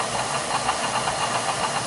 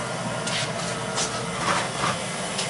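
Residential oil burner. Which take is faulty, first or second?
first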